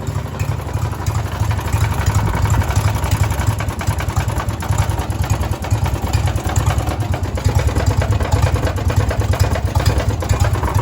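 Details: Race mower engine: rough, rapid thumping about three beats a second over a low rumble; owner suspects rod knock and fears it may blow up, cause unconfirmed.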